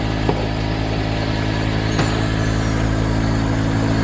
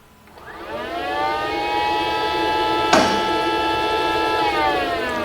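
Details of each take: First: Mercedes GL450 with engine running and lower-than-normal ride height: the air suspension compressor gives a steady low electric hum, running without pause while the body never lifts; a leaking air spring/strut is suspected. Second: Mercedes GL450 with low ride height from a leaking air spring: the electric air suspension compressor below the headlight, switched on via a scan tool, whirs up to a steady, even whine and runs properly.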